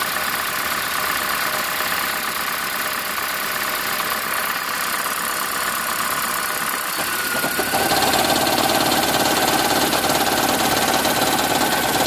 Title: 2010 Prius - Engine Knocking (Raptor Sound)